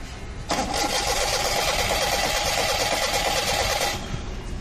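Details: Maruti Suzuki 800 cranking: the starter whirs steadily for about three and a half seconds without firing, then stops; it cranks but won't start. No current is getting through, with a resistor or ignition coil fuse suspected.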